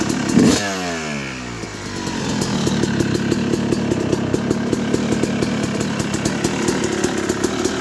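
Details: 2006 Yamaha YZ250 first start after rebuild (new main bearings, seals, OEM piston kit, replated cylinder, shift drum debris cleared): kicks over into crisp steady ring-ding idle, even firing, no knock or rattle.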